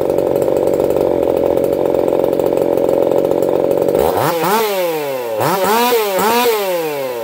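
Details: Echo CS4910 chainsaw, experimental taper-top piston/crank swap, about 6° advance, running a little warm (about 180 psi cold, 160–170 warm). Steady high scream, then repeated dips and recoveries as it bites wood; clean with no popping, healthy under cutting load.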